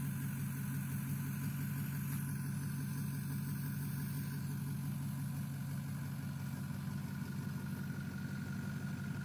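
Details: 6.0 diesel with bad injectors idling with an uneven, loping knock about three times a second over a steady low drone, pointing to a rough-running cylinder. Rough idle knock.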